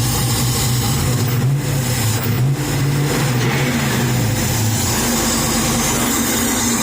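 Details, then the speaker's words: Chevy S10 with rebuilt LS 383 stroker V8 and Dynomax single exhaust, warming up: deep uneven lumpy idle with steady loping rhythm, no knocks or rattles; healthy aggressive-cam engine settling down. "i'm excited man you know you work hard trying to get this stuff going and once you hear it running it's nice"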